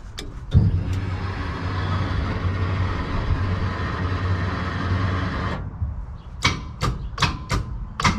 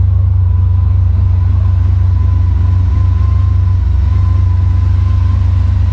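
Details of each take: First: Freshly rebuilt Maliboom engine, dry, spun over with the coil packs unplugged to build oil pressure: sharp single clicks, about eight in four seconds, with no cranking; the starter clicks but won't turn the engine, possibly stuck from sitting. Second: Freshly rebuilt "Maliboom" engine on its first fire, running with the mufflers on after the oil pressure came up: a deep, steady low idle rumble with an even beat and no knocks or misses. Normal idle.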